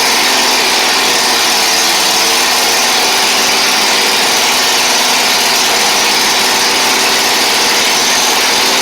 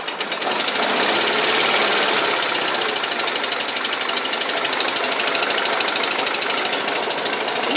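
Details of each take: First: Kohler Command twin on a Toro Z Master that had run on one cylinder, after repair: steady, even, fairly high-pitched idle with no skips, both cylinders sounding like they fire; smoke burning off the exhaust. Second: Toro Z Master mower, about 2010, 27 hp Kohler Command twin: fast uneven chuffing with a lumpy, lopsided beat, running rough and down on power on one cylinder.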